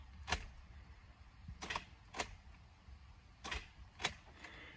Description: This vehicle is a 2006 Honda Accord with high milage symptoms are engine will not crank , all you hear is the clicking sound from the engine starter motor.